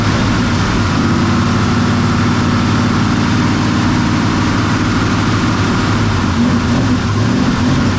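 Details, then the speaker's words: Ford FE 390 big-block V8, sat over two months, dead battery, jump-started on a very cold day: fires and settles into deep, slightly uneven lumpy cold idle; owner says it needs choke adjustment. "need some choke adjustment but you see exactly what that did right"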